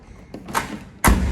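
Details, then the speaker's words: Hyundai HB20 door: soft thud then heavy hollow clunk as the door fails to close properly and rattles; worn, loose latch catch. "o vídeo de hoje eu vou mostrar para você como arrumar a porta do seu HB20 que tá fazendo esse barulho aqui ó escuta só a porta não fecha direito e ainda fica fazendo esse barulho"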